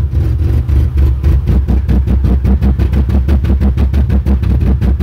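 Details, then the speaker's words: 1997 Ford Explorer 4.0L with MAF sensor fault and rich codes P0172/P0175 at wide open throttle: engine chugs deep and low, pulsing about four times a second, hardly revs and barely stays running, with black smoke. "when I started this there was big cloud of black smoke so I know it's running rich it hardly revs at all here"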